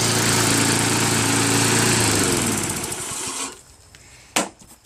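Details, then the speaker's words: Craftsman Eager 1 lawnmower with Tecumseh engine, after fixing a rattling recoil starter and correcting surging with the idle screw and a tightened governor spring: runs smooth and even with no rattle or hunting, then shuts off and winds down; normal running. "No rattling sound. Adjusted the screw. And now it doesn't surge."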